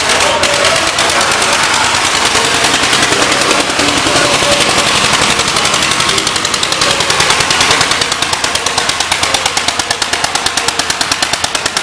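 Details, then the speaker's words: 1938 Cooper Stewart export Gravely single-cylinder tractor, imported from Darlington, England, running: crisp popping about three beats a second, steady and even throughout; normal running. "Sounds good. Very nice, gentlemen."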